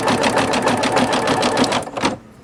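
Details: Singer Futura XL 550 after the bobbin-area rattle fix: fast, even stitching with no rattle or clank from the bobbin, so it is running normally.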